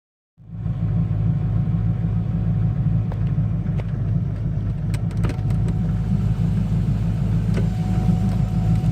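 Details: Chevrolet Corvette C5 Z06, heard in the cabin; faint steady mid-pitched whine over heavy low engine and road rumble, cause unknown.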